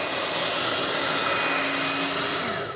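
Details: Steady, even high-pitched air rush with a faint fixed whistle from a Tecno Elétrica Fórmula 6000 Turbo hair dryer. It is reassembled with an adapted heating element, and the motor is slightly off-center but not rubbing; it heats well with strong airflow, running normally.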